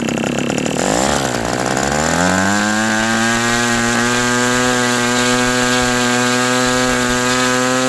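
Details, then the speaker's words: New OS 120 AX model engine on its first runs, still breaking in: high-pitched buzz sags, then climbs and holds a steady screaming tone; won't settle at low-speed needle setting; unsettled low-speed mixture. "The engine doesn't really It's still being broken in so it's really not wanting to be set to the low speed too m"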